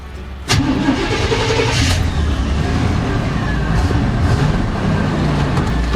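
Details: 1980s Chevy small-block V8 in an ex-police surveillance van that had been sitting: quiet, then a quick catch and it fires first try, settling into a steady even idle with no stumbling. A normal start.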